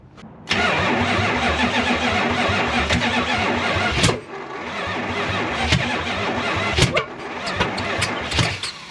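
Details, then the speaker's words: 1972 Chrysler Newport with a swapped 440 big block, sat for decades after an unfinished ignition. Starter cranks, engine catches then abruptly dies when it fires and cranks unevenly: ignition timing too far advanced. "Sounds like the ignition is too far advanced because when it fires, it stops the engine."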